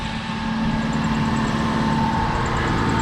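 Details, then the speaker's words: Toyota Supra at warm idle after a cooling-system rebuild with a new water pump, thermostat and coolant. Fans on, heater blowing hot. Smooth, even idle with no ticking or misfire. A few small leaks are still to be checked. "the car is up to temperature they tap them niether so many thermostats working on like last time fans on heart everything's blowing hot inside the car for the most part there's not many leaks there are a couple"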